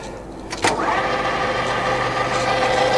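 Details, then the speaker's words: Colchester Student used centre lathe running: a clunk at start, then steady, even gear whine, ticking over smoothly with no knocks; has a brake, runs forward and reverse. "that's it ticking over. It's got a wee brake on it, and other direction, reverse, back again."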